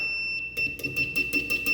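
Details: Panasonic microwave, continuity tester across magnetron terminal and case: steady high beep showing continuity to the chassis, so the magnetron is fully shorted to its case.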